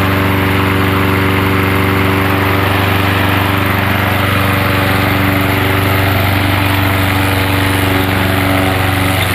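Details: Gas lawnmower converted to propane, fed into the carburetor intake with the valve opened slightly: a loud, steady engine drone with an even beat and no stumbling or surging; runs smoothly on propane.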